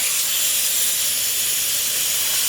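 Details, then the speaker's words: Forged SR20 engine in S14 drift car, engine off, intake capped and pressurized by compressor for boost leak test: loud, steady high-pitched hiss of air escaping from major boost leaks. Boost leak. "we have mad boots leaks major one"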